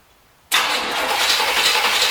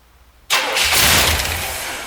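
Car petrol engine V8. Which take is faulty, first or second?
first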